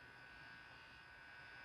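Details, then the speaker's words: 1959 Magnatone Custom 250 tube guitar amp, open chassis, after bright switch replacement: faint steady hum with thin high whine, no crackle or pops. Normal low background hum. "You hear that? So, listen to the background noise."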